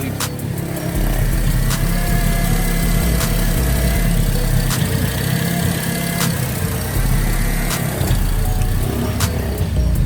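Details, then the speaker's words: Modified Honda idling with sharp intermittent snaps every second or two; owner suspects the same breakup that preceded a previous engine failure, cause unconfirmed, also mentions random downpipe chatter. "Oh no, it's still idling fine. But it does sound like it's still doing the whole breakup thing, which I think that caused it to blow up last time."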